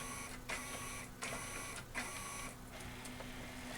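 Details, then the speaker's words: RCA RS2654 shelf system CD changer with replacement KSS-213C pickup, disc sensing fixed with new IR LED: mechanism whirs through discs in three bursts, then a short read attempt errors out; TOC not read. "it's gonna try to read one it's going to error and it goes out"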